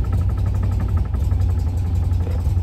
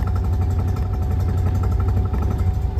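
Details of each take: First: Classic car with BlackBox 3 programmable ignition, idling in the 800s rpm: pinching the vacuum hose drops vacuum advance to zero and leaves only 10° initial advance, so the idle turns heavy and labouring as if choking, then recovers when released. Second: Classic car with AccuSpark BlackBox 3 programmable ignition (MultiSpark) at idle: once the vacuum advance threshold is lowered below tickover it cuts in, giving a deep, even rumble, noticeably smoother with no misses; normal idle.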